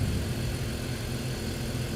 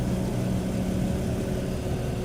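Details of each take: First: 2005 BMW 325i with a cylinder 2 misfire and code P0300, rough-running complaint: steady, even idle after the fix, with no misfire felt and a clean ignition waveform. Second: BMW 325i, believed 2005, six-cylinder idling with an intermittent dead miss, an uneven stumbling beat, code P0300 and a cylinder 2 misfire.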